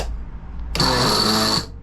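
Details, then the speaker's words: Mill Y-axis lead screw reassembled with old lead nut, screw slightly skewed to take up backlash: short whirring scrape with a thin, steady high squeal while the screw turns; the lead screw is binding. "so I sort of um skewed the lead screw a little bit so um you got tension that way but you can hear what hear that sound so it's it's not really true but it works"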